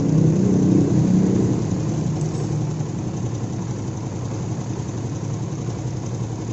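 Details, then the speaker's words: Honda CB150R idling: steady idle with fast, fairly even rough rattle (kletek-kletek) about four per second on top; suspected stretched cam chain or tensioner adjustment. "eh motor ini ada masalah pada bagian mesinnya emasnya itu bunyi kasar banyak kletek-kletek untuk lebih jelasnya Coba kita nyalain motornya"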